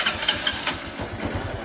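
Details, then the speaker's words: 150 cc motorcycle that would not start on the electric starter because of a poor starter-relay ground: with a jumper wire to ground, a short starter whirr, then the single catches and settles into an even quick putter with no misses. "Aí se você chegar aqui, jogar no terra aqui assim, em qualquer lugar, ele funciona. Tá vendo?"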